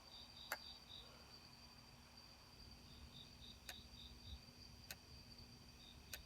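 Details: Sony D-90 Discman, just received: faint high whir with sharp single clicks about every second while spinning; clicking noise, cause unknown.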